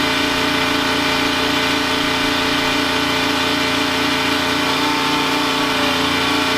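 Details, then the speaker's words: Detroit 3-53 diesel generator in a 1977 Peterbilt 359 motorhome, as a third air conditioner and a 13,000 W instant water heater come on atop heaters and two air conditioners: steady drone dips slightly under the load, then holds speed; normal. "You can just catch a glimpse of the third air conditioner starting, and then shortly after that I turn on the 13,000 watt electric instant hot water heater. You can hear it kind of loaded up a little."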